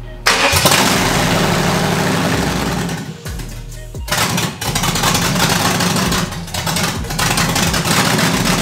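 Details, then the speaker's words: 5.7 Vortec V8 swapped into an S10, just fixed low fuel pressure, first runs: engine speed keeps sagging and recovering every second or two, hunting for idle; owner suspects loose fuel pump wire connection or distributor setting, unconfirmed. "uh it sounds like it's hunting searching for idle it's a little strange"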